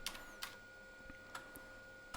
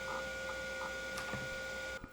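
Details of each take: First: Hard drive in a 1989 Tulip PC Compact 2 XT compatible, formatting a newly created primary partition and reaching cylinder 35: irregular head-seek clicks over a steady spindle whine with no issues. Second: Hard drive in a 1989 Tulip PC Compact 2 IBM XT compatible: fdisk found the partition, but reading the C drive gave seek errors. Steady whine with scattered clicks and buzzing bursts; the drive is failing to read.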